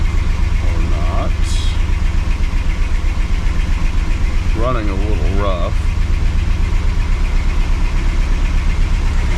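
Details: 1980 Cadillac Coupe DeVille V8, first start after six months of Minnesota winter storage: low steady idle with a slightly uneven lope, about four pulses a second; running a little rough after sitting.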